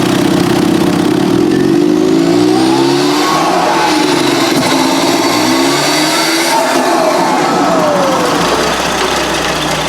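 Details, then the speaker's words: Merkur XR4Ti, 95,000 miles, sat five years (died when hot), free-revving in neutral without load: pitch climbs and falls quickly with turbo spooling up too fast, which shouldn't happen; suspected retarded ignition timing. "when I rev it in neutral with no load on it the turbo spool is up really quick which it really shouldn't do"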